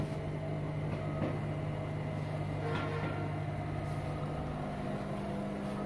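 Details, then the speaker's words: Beko washing machine (model given as EV 7103) after a door switch/door lock repair with a spring fitted: the water pump and drum now run, heard as a quiet steady hum with soft churning and no knocks or grinding, so the washer is operating normally. "এখন water পাম্পও চলছে। ড্রামগুলো শুরু করে দিয়েছে আমাদের।"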